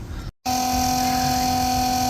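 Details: RV macerator pump restarted after flushing tanks with fresh water: after a brief pause motor starts into steady, even electric hum at constant pitch; normal pump operation.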